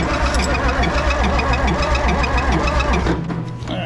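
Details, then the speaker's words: Oliver Super 88 tractor after sitting 20 years, cranking: starter churns it over at a steady, uneven beat and it never catches; weak, uneven compression strokes match the low compression later found. "Still wouldn't start, still wouldn't act like it wanted to start, nothing. So come to find out, it didn't really have much compression."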